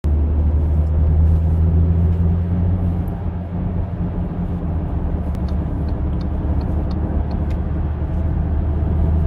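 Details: Audi driving with a steady low droning hum under road noise, the rumble of a suspected worn wheel bearing, not confirmed.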